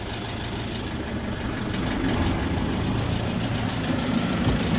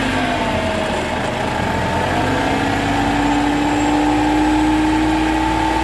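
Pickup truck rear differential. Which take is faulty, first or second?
second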